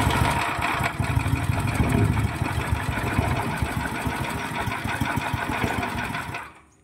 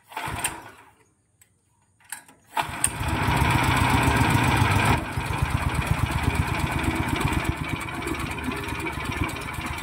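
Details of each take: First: 9 HP General Powell CX 270 petrol engine driving a horizontal dough mixer, first pull-start on choke with little fuel: uneven, lumpy chugging around three beats a second then dying; throttle too low, needs raising. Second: Horizontal dough mixer driven by a 9 HP General Powell CX 270 petrol engine, test run on half a litre of fuel: pull-start, brief pause, then a steady, even, heavy low thump with no knocks; sound described as smooth yet heavy because the engine is large. Normal running.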